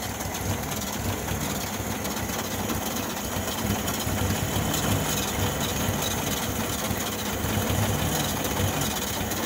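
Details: 1972 VW Beetle: steady starter churning about three pulses a second for ten seconds, never firing or catching; cranks but won't start.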